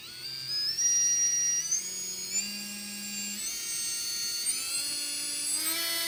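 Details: Readytosky 1804 quadcopter motor on a vibration test after calibration: a thin high whine steps up in pitch as it spins up, with a rough buzzing edge. Bad bearing, heavy vibration; magnets reportedly come loose from vibration.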